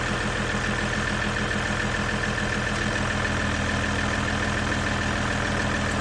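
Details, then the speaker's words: Ram EcoDiesel idling after aFe Blade Runner charge pipe install: steady even diesel clatter about three and a half beats a second, no knock or leak hiss, turbo more audible; runs healthy. "from what I can hear sounds like you can hear the turbo a little bit more which is good"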